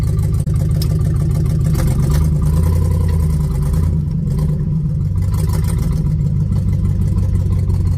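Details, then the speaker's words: 1967 Chevelle V8, budget-rebuilt engine run about 10,000 miles since new rings, recorded from inside the car: deep, loud idle with an uneven lumpy pulse like one weak cylinder; owner suspects a burning or leaking valve on one side plus a massive exhaust leak ticking when cold, unconfirmed. "So I'm pretty sure it's on this side, but it's got I'm pretty sure it's got a valve that's starting to burn or is leaking, and I'm going to try to show you what that sounds like,"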